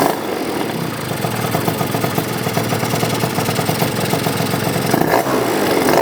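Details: Yamaha BWS 100 two-stroke scooter with Malossi 125cc kit, stock airbox off, after rejetting because it ran super rich: crisp buzz revving up and dropping cleanly, no gurgle or stumble; fuelling now sounds right.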